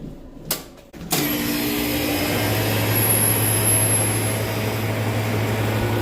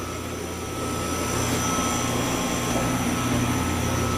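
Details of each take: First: Walk-in freezer compressor restarted after its thermal overload reset and the windings checked: a click, then a steady low hum, running evenly and drawing 14 amps with nothing odd heard. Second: New compressor on a pump-down system, installed on a walk-in freezer after the old compressor's internal leak: steady compressor hum with an even fan whir and a constant high tone, no rattles or knocks; running normally.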